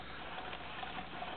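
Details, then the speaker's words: 1976 Yamaha YZ80 gearbox, case unsplit, turned over slowly by a drill then faster: even whirring with no clanking, banging or grinding; gears and bearings sound healthy. Normal gearbox spin. "Okay, it's moving nice and even. Nothing is, it sounds, let's speed it up a little bit. Sounds good. Nothing's clanking around, nothing's banging, nothing's grinding is really the big thing what we're listening for."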